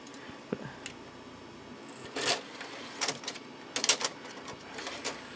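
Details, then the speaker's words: Packard Bell Legend 204CD 486 computer: sparse, irregular clicks and clunks with no steady spin-up as discs are inserted and the CD-ROM drive acts empty; drive worked a couple of months ago, owner expects to replace it. "if we have a problem with our cd-rom drive as I'm putting discs in it and it's acting like it's empty"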